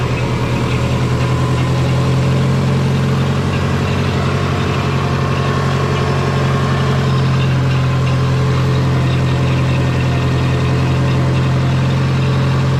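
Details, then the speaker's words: Twin-turbo Subaru with GT35 turbo, idling after exhaust work: deep steady idle with soft rhythmic chuffing about three beats a second low down; exhaust leak suspected, possibly a non-flat flange or header-to-head joint, unconfirmed. "it just sounds like there's an exhaust lake down here somewhere yeah i can hear a chuffing going on"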